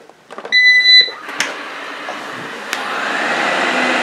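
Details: Eufy RoboVac 30C after replacing the rattling suction fan: a start-up beep, then the fan winds up to an even, steady whoosh with no rattle or scraping. Normal running after repair.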